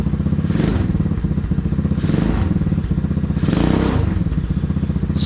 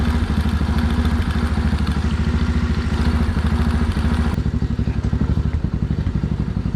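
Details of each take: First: Small single-cylinder engine in a 607 lb tractor project after carburettor jet changes (17.5 slow jet): a quick, even putter with throttle blips and no knocks or rattles; it runs clean but won't idle below 3,000 rpm. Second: Small engine on a 607 lb tractor project after a carb jet change to a 17.5 slow jet: steady fast low thumping at high speed for eight seconds, then it dies; it won't idle below 3,000 rpm.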